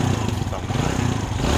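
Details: Kawasaki Barako 175 single-cylinder, earlier took ten kicks to start: steady thump with an even, quick beat and a small rev rise near the end; runs smoothly.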